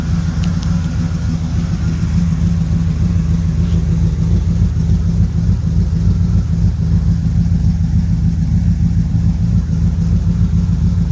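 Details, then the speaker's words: 1976 Corvette Stingray V8 first run in 8–10 years, fresh filter, idle screw turned up, warming up with oil pressure good (no tach reading): deep, steady rumble with even firing and no skips or knocks. Idling properly; later got warm and was shut off. "Oil pressure's good. Seeing anything on the voltage or the water temp, we'll let it heat up for a minute."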